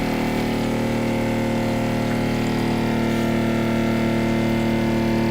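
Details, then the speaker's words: Tiny-house rainwater PEX (RV-style) plumbing: valve opened and pump fills the new lines; loud, steady buzzing drone at constant pitch with no surging, normal pump running; a leak is noticed afterwards. "That is loud as fuck. Is that what running water is gonna be like?"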